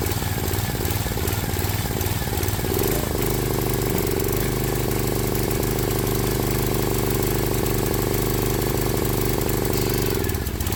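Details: Briggs & Stratton 7 hp Intech single-cylinder on a Swisher 22-ton log splitter, before carburetor cleaning; idle hunts, with rpm and pitch drifting up and down; surging idle, suspected carburetor fault; air filter also dirty.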